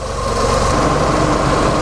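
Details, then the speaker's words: Ford Mustang, fully warm, idling steady at 800 rpm 24 hours after the lambda (oxygen) sensor was replaced to cure jerking, power loss and unstable idle: smooth, even idle with no misfire under the radiator fan whoosh; fixed. "Ok, donc là le moteur est bien chaud, vous voyez il y a le ventilateur qui est en route, vous l'entendez aussi."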